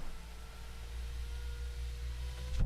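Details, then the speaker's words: BMW E90 rear window regulator DIY; the second window, previously misbehaving with low readings, now runs fully down and up with steady motor hum, no grinding, clean stop, apparently fixed itself: normal power window operation. "and now it's going up all the way okay so it fixed itself interesting maybe it just had to kind of run through some just run through things for a little while"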